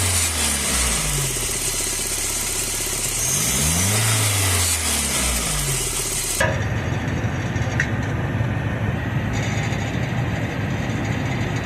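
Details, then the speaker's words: Car engine revving with a buzzy tinny sheet-metal rattle: exhaust manifold heat shield whose bolts loosened from vibration and use, rattling on acceleration or load. "los tornillos que sostienen esta lámina al múltiple de escape se aflojen, propiciando de que al momento que aceleras o le exiges al motor se escucha un sonido como una lámina pegar."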